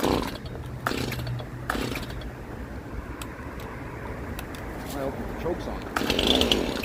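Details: Stihl MS171 chainsaw test run after the oiler repair. Misused chain brake had melted the plastic around the brake band and the worm gear, which was replaced with a new OEM part; filter refitted. Idles with sharp throttle blips, picking up cleanly and settling back steadily.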